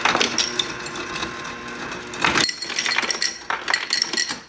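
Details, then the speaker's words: GE refrigerator after replacing a faulty motherboard with burnt resistors; previously would not dispense water or ice: cubed ice clatters steadily down the chute for several seconds then tapers off; dispensing normally. "Yeah. So everything's working and the light works perfectly."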